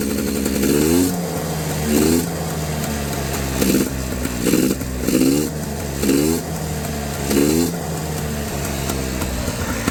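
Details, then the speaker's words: Honda FL400R single-cylinder after carburetor rebuild, float level left as is: thump with repeated throttle blips about every second; runs, but owner says it runs very rich and suspects the choke. "my issue is it's running really rich and I believe it's got something to do with this choke"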